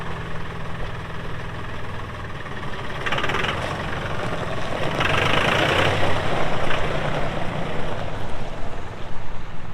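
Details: 2018 Massey Ferguson 2605H 4WD compact tractor, 310 hours, 911X front loader: steady diesel clatter at idle, then rising under load with hydraulic whine; even, healthy-sounding engine, normal running.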